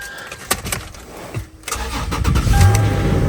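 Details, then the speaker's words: Salvage-auction vehicle with sunroof, minor damage, no airbags deployed: starter cranks briefly, engine catches at once and settles into a steady low rumble; starts right up, sounds great, no airbag or check engine light; normal start and idle. "Starts right up. Sounding great. Nice."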